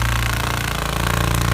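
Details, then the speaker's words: Mountain bike (NS Snabb) rattling like a jackhammer on the trail: fast, hard metallic clatter from the rear. In the smallest cassette cog the derailleur contacts the swingarm. "so when i'm in the smallest cog in the cassette that's where the derailleur is actually contacting the swing out"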